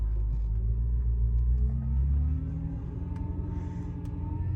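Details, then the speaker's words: BMW F10 M5, S63 4.4 twin-turbo, cold: steady whine over engine rumble, pitch creeping up, with steering-wheel shudder; gone when warm; suspected power steering, fluid flushed with CHF 11S, shudder fixed but whine remains. "Now once it warms up, we don't get this. Definitely cold, we get that shudder, that loud whine."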